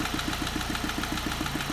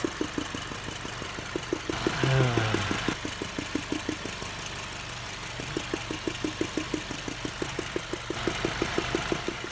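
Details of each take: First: 2005 Ford Focus petrol engine idling with a steady knock-like tick about seven times a second, mistaken for engine knock but caused by a loose rubber cover. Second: 2005 Ford Focus idling: light ticking for about ten seconds, then a smooth, even idle with no knock once a loose rubber cover on a sensor is popped back on; the knock-like noise stops.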